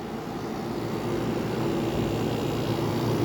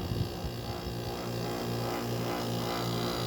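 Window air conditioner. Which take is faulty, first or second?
second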